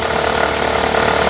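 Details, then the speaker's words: Honda Civic 1.8 16v automatic, on early cold starts: rapid metallic hammering at idle in Drive, fading with slight throttle and vanishing in neutral; a worn hydraulic accessory belt tensioner slapping around. "E ele fica martelando desse jeito aí. Acelerou um pouquinho, ele diminui. Se jogar no neutro, some também."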